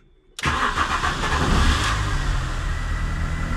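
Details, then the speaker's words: Engine cold start after a very long time unused, ignition fault codes just cleared: starter catches, slight struggle, fires quickly, flares then settles to a steady even idle with no engine warning light; normal cold start. "elle a eu un peu de mal mais ça c'est un démarrage à froid en plus ça fait super longtemps qu'elle a pas démarré mais elle démarre très bien elle tourne correctement et on a pas de voyant moteur"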